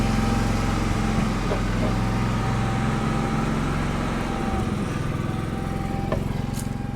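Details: GenMax inverter generator running unloaded in cold weather inside a shipping container, before its first table-saw load test: an even small-engine drone with a steady, light pulse and no surging, knocking or hunting, running normally.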